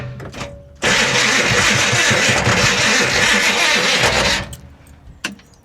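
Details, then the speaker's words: 1966 Impala SS parked over 10 years, cranking with a booster pack: harsh whirring grind for about three and a half seconds with no start; starter sounds like it's dragging, owner suspects it's not shimmed properly. "yeah just it sounds I think it's the starter hanging up like it almost sounds like the starter may not be shimmed properly"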